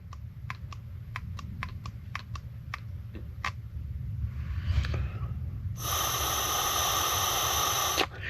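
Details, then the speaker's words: Mercury 25 hp four-stroke EFI outboard idle air control solenoid, bench-tested with power applied: crisp clicks then steady hiss of air flowing through; solenoid opens when energized and closes when not, working properly. "So, it closes off whenever when there's no nothing applied to it. Allows air to flow through, right?"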